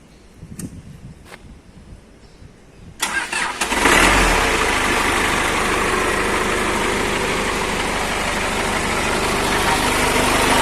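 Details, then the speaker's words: A Toyota FD-25 forklift engine at its 500-hour service check: a clean crank and quick catch, then an even steady idle and throttle blip with no abnormal starter noise, knocks or rattles. "Nampak tidak ada bunyi lain pada saat di starter maupun kebisingan lainnya. Kita coba gas. Tidak ada bunyi berisik lain, tandanya engine starter dan abnormal noise tidak ada."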